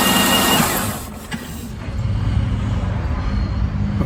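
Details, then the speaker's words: 2006 Buick Lucerne 3.8L GM 3800, started after crankshaft position sensor replacement to check it runs before reassembly: brief crank, then a low, even idle with nothing rubbing or scraping. Normal start and idle. "Okay, now we're gonna start it up, make sure it runs before we put this all back together."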